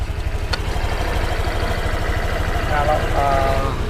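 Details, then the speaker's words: New Honda Vario 125 scooter at 0 km, not yet delivered: even low idle hum with a light, regular drive-belt whir from the CVT and nothing harsh on top; normal CVT sound. "dari CVT nya ya segini normal teman-teman"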